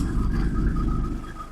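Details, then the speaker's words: 1995 Mercedes E300 diesel, cold start after a couple of days, glow plugs off; idle mechanically adjusted, now about 500 rpm versus about 400 before. Low, even diesel rumble with a faint steady whine, settling smoothly; healthy, improved idle. "fired right up. And I I had adjusted mechanically the the idler a little bit and it's definitely an improvement."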